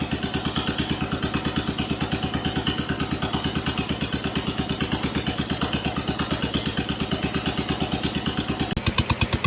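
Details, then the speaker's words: 1969 John Deere 112 Blue Patio tractor after a new ignition system install, running unmuffled and not yet throttled up. Slow, loping, slightly uneven single-cylinder idle at about three beats a second; owner suspects it is running rich, not confirmed. "I'm starting to wonder if it's running it starts sounds like it's running rich I haven't throttled it up yet"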